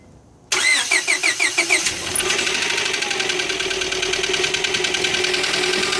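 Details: 2001 Honda Prelude with H22A4 engine cranks briefly then runs with a loud, fast, steady metallic knock over the idle; cause not yet found, engine to be taken apart.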